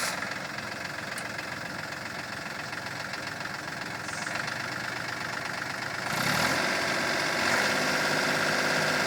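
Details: Cub Cadet with a Yanmar diesel engine knocking regularly near four per second, growing louder and harsher under load, from a messed-up transmission.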